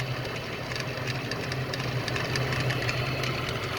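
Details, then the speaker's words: 2010 Ford BF Falcon, engine idling, screwdriver held to the belt tensioner to listen: steady idle hum with faint uneven ticks; belt-driven pulley bearing noise suspected, water pump, pulleys and thermostat to be replaced. "Okay, we'll try the tensioner now. So as you can tell, it's making all sorts of noises."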